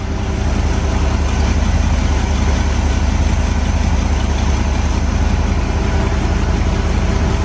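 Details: Corvette V8 after tune-up with new batteries: lumpy idle with a rough puffing chuff about twice a second; air felt at the passenger-side collector, exhaust leak at the donut gasket, replacement donut on hand.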